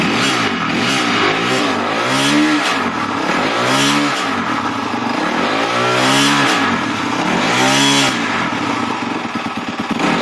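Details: 250x engine that suddenly began making a crazy noise in the mid range during a ride: repeated blips bring a harsh, clattering roar through the middle revs, cause not yet identified.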